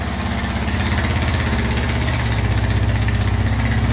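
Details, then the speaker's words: 1999 Honda Foreman 450 4x4 ATV with plow, revived after sitting about 10 years: steady, even low idle thump with no misses, hunting or knocks, no smoke out the back; normal idle. "all right running perfect no smoke out the back"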